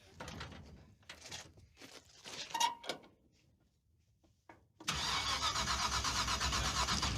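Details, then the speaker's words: 1970 Dodge Super Bee, 440 V8 with a borrowed ignition box: after a pause, steady cranking at about four beats a second that never catches; box light blinking but no spark, so they check the rotor and plan to change the distributor pickup. "It's blinking. That's weird, dude. That's got no spark."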